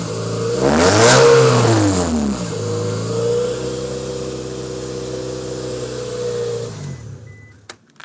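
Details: Scion tC, naturally aspirated petrol engine revving with a loud, raspy, hissing exhaust note: the exhaust leaks badly through a hole in the muffler and burnt-out gaskets.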